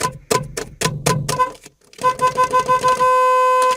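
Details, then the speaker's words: Chevy steering-wheel horn button that had stopped working, after its terminal was cleaned and scraped: a few short honks, then a steady, clear two-note blast at full strength; horn working again. "ya funciona otra vez nuestro claxon, como pueden oír."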